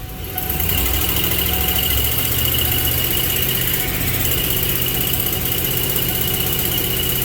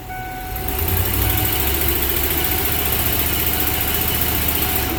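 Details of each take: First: Ford 4.6 V8 under load with a slightly uneven, stumbling rumble: cylinder 4 misfire, improved after swapping a used coil for the faulty new one; replacing the coil and resetting the plug gap resolved it. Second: Ford 4.6 V8 after new coils, new plugs, injector cleaned, a faulty new coil found on cylinder 4 and plug regapped: steady, even beat with no misses, pops or stumbles, a smooth rumble; misfire fixed, engine running clean.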